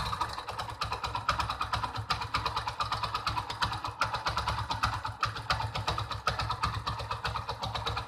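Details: Mahindra Centuro motorcycle idling after full timing chain kit replacement, noise returned after two days; quick regular light ticks over a lumpy idle, a few per second; ticking noise at idle, cause unknown.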